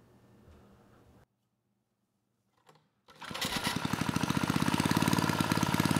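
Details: Tecumseh 3 hp (HS35) single-cylinder on mid-1980s Troy-Bilt Junior tiller starts and races straight up to a fast, hard buzz with no settling back. Governor is not controlling speed; owner suspects it is broken inside the engine, or possibly out of adjustment.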